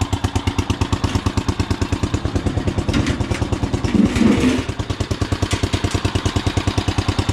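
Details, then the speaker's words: Riding mower engine, sitting about a week, started in neutral with choke on: catches right away, then even, steady single-cylinder chugging at idle with regular clean firing, no knocks or misses; normal cold start and idle. "Look at that, starts right"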